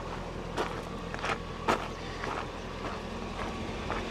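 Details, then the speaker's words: C4 Corvette with 30k miles, saltwater-flooded in a hurricane, idling while the temperature creeps up: smooth, even low idle with a few light taps and no fan whir. The cooling fan was then found not working. Engine itself sounds healthy; normal idle. "Engine sounds great."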